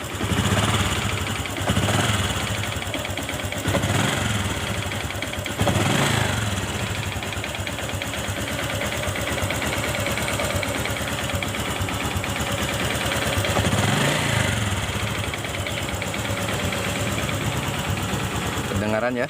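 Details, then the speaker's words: Honda Supra X Helm-in fuel-injected motorcycle with a complaint of rough engine noise; a faint "keletek" clatter in the engine rides on short throttle blips. "Nah suaranya terdengar ya keletek-keletek di dalam kita gas"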